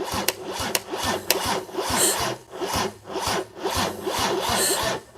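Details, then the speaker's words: Mercedes OM606 diesel sat unused for months, cranking after fitting a new Dieselmeken mechanical injection pump; starter drags slowly, about two compression beats a second, never catches; ground point suspected, not confirmed. "Katse 66. Oluliselt palju"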